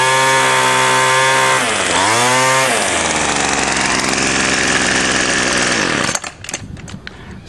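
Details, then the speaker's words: Two-stroke weedeater string trimmer after removing limiter caps and adjusting carb mixture screw, set slightly rich: high buzzy full-throttle scream holds steady after one brief dip; runs clean and strong. "i messed around with the adjusted screw and got it running right so that means i hold it full throttle and i turn this screw until it starts to run the fastest"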